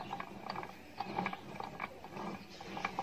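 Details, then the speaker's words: Isuzu Hicom manual gearbox making uneven ratcheting clicks and clunks over a low drone only when in certain gears, not constantly as bearings would; broken gear teeth, not a bearing problem. "kalau bunyi begitu dia masaalah gigi bukan masalah bearing"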